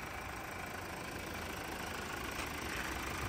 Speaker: she purrs like a kitten she sounds quiet